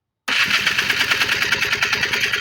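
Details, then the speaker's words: 1994 Polaris 250 Trail Boss single, compression test at full throttle: starter cranks with quick even chuffs, no firing; reads about 105 psi versus about 120 spec; low compression. "Throttle about 105 just not good okay so I looked it up it should be around 120 PSI so compression is low but I think it should still run at 105"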